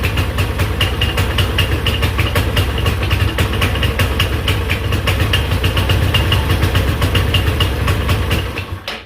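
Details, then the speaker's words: GY6 Chinese scooter engine, damaged by too much oil: rough, uneven beat held at full throttle, then fades and dies as soon as throttle is released, won't idle. Badly low compression, top-end and valve rebuild needed. "that's me letting off immediately dies this thing has low compression really bad"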